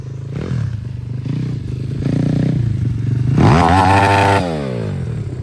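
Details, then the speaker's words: Home-tuned 140 YX pit bike engine, stock CDI and stock exhaust, 16/40 long gearing, revving sharply and dropping back cleanly without misfire or hesitation; runs very well, no air leak heard, problem considered solved. "Non, là ça marche. Hein. Il marche vraiment bien son moteur. Hein. Il a rien à dire."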